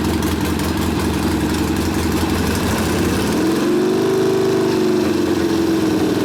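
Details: Rebuilt 1972 Harley Sportster XLCH Ironhead after case repair, brand-new rings, starts in four easy kicks: lumpy idle picking up cleanly on a throttle blip and settling back, crisp even firing, ignition working well, no misses; normal running.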